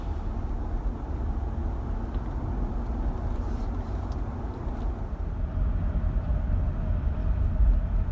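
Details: Land Cruiser 80 series on a drive over bumps that used to cause a front-end sound, after front stabilizer bushings were replaced. Steady road rumble with no pops or clunks; the suspension sounds tight and quiet, with no clunk.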